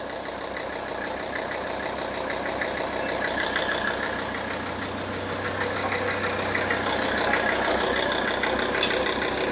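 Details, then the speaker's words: Mercedes-Benz S123 300TD turbo diesel, 720,000 km, warmed by idling only: even, steady diesel clatter at idle, about three beats a second, no misses or knocks; sounds healthy. "this is a big diesel engine and uh it's just not going to get hot standing here idling it will have to work"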